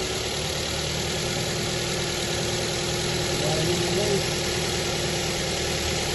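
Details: New Avanza 1.3 four-cylinder petrol engine after fan belt and tensioner pulley replacement, test start: smooth steady idle with faint even hum, no belt squeal or tensioner chatter.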